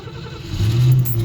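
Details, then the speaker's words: 1959 Cadillac sedan cold start on a frosty Indiana winter day after sitting about two weeks. With choke set and gas given, it cranks ten to twelve seconds before catching into a deep, rough rumble. Hard cold start. "well us I thought if I just keep letting her crank it'll turn over so let's see I mean ten twelve seconds which seems way too long but"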